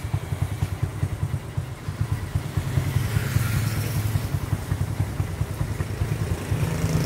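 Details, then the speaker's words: Honda 67 motorcycle riding on a test run without using the clutch (ampira): a small single thumps evenly, a steady low beat rising smoothly with throttle amid road and wind noise; the engine runs very smoothly. "Máy rất là êm anh. Nói tóm là tại chạy cũng chạy test thử máy cho anh em đó. Máy êm lắm."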